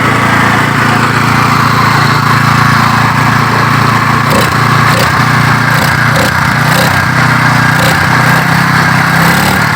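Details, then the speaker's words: Yamaha water pump engine, stored about 20 years, now started and running: small engine holding a steady, even buzz at constant speed with no misses, knocks or surging; runs smoothly and healthy. "ๆอันนี้เครื่องติดแล้วนะครับเครื่องจอดไว้ประมาณ20กว่าปีติด"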